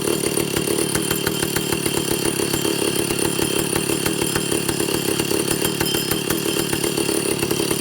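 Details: Vintage Stihl two-stroke chainsaw after carburetor overhaul and air-leak repair, on test run with high screw 3/4–1 turn and low 7/8–1 turn out, target idle 1,800 rpm, top under 10,000: steady buzz that never climbs to full revs.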